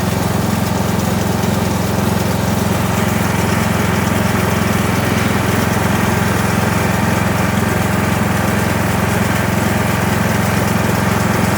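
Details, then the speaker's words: Kohler Courage 19 hp engine on an Ariens garden tractor after muffler repair (loose internal baffle fixed): steady, even throb with no exhaust rattle; sounds healthy and settled. "Everything's back together. That muffler should be a lot quieter. Won't be rattling anyway."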